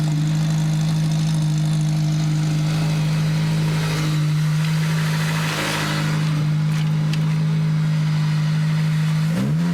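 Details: SVT Focus Mk1 with newly installed CPT cold air intake, revving in neutral. Smooth, even note holding steady with a clean rise near the end, intake sucking audible, no knocks or ticks; normal revving.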